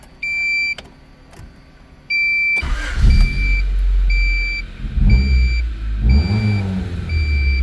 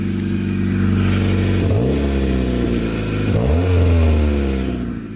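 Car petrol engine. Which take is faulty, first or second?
second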